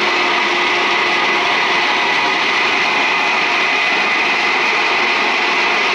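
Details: Chill plant water pump after its burnt-out motor was replaced (single-phased by a shorted wire connector; long-term cavitation had damaged the bronze impeller): steady, even hiss and hum, constant pitch, no gravelly crackle; normal running.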